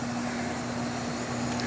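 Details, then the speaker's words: Lennox XC14 3-ton AC condenser, rated 71 dB, paired with a Coleman 80% modulating furnace, heard outdoors while running: smooth, even fan rush with a low steady compressor hum, no rattles or squeals; running normally. "so the thing about heat pumps so this unit running right now let's go back around the garage and you can hear kind of the walk up"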